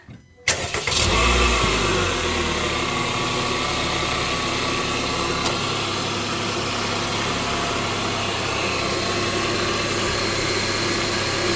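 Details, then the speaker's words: 2022+ Honda Civic 2.0 LX after clearing a stuck piece behind the crank pulley, with a new serpentine belt fitted: catches in half a second and settles to a smooth, even idle with no squeal, slap or ticking; the noise has not returned. "So seems like it's okay. Seems like it's okay."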